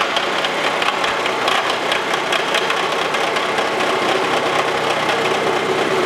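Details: Wells Index vertical mill with face mill on antique wood lathe tool post holders, back to a full cut: quieter, even chatter-free cutting hiss with regular tooth patter, no squeal. Smooth milling cut.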